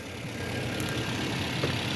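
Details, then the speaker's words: Toyota Corolla petrol engine after repair of a two-cylinder misfire involving the injectors: a steady, even low hum at idle with no misfire stumble. Normal idle. "बिल्कुल छोटा सा folder वैसे यह सब लोगों को ये पता नहीं होता अल्हम्दुलिल्लाह बेहतरीन हो गया"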